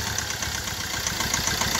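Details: Hyundai i20 with heavy black smoke and low pickup: rough diesel idle with a quick, steady "tak tak" knock on the low rumble; cause not pinned down.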